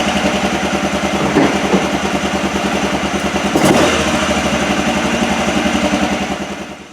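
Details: 2007 Arctic Cat 400 ATV, unused 1.5 years, carburetor cleaned, fresh fuel, rope-started: uneven, missing idle that keeps faltering, then fades and stalls; owner reports it dies once warm.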